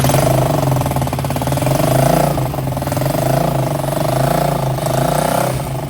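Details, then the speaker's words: DIY go-kart single-cylinder engine with newly fitted air filter, on the old exhaust before replacement: steady, even idle with a loud buzzy exhaust note, no misses or knocks; healthy. "ये हमारा exhaust है जो पिछला वाला है। ये थी आवाज़ हमारे पिछले एग्जॉस्ट की।"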